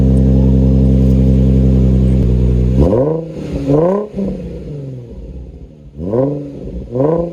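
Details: 2004 Nissan 350Z after oil catch can install, stock cats with Motordyne exhaust: smooth steady idle, then several quick clean blips rising and falling without misses or rattles; normal engine revving.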